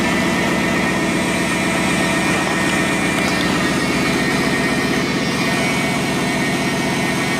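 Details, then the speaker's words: Car started after a new water pump and hose, air box and sensor left unplugged, for a leak test: fast, steady idle well above normal with an even hum; high idle from the disconnected sensors, and no leak is seen. "Seems to be all right. It's idling high, obviously, because it doesn't have any of its sensors hooked up, but that looks dry."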